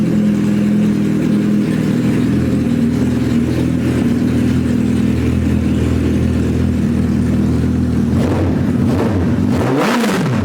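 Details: Suzuki Hayabusa GSX1300R after a wreck, eight-injector engine with two new main injectors fitted, no exhaust installed; loud raw open-pipe idle staying even with clean quick revs, hitting on all cylinders; normal idle and revving.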